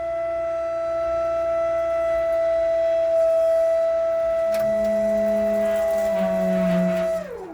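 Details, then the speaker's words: 2012 2500 HD extended cab converted to a dump flatbed, hydraulic pump raising bed with plenty of fluid, no gurgling: steady pump whine through the lift, then note loads up and drops as the ram bottoms out; normal full lift. "until it bottoms out. When you hear that, then that's when it's done."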